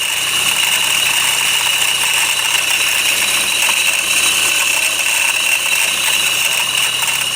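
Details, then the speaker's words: 2008 Honda CR-V 2.2 i-CTDi diesel at idle; high constant rattling scream near the alternator, higher than belt slip, from a failed alternator freewheel (overrunning) clutch pulley; fix is replacing the pulley (OEM 31141-RBD-E02). "so you can hear the noise it's pretty high and it doesn't sound like the Bel when it's like slipping no it sounds like much higher than the belt it's like screaming from the engine or like from around the engine maybe and it's coming from here"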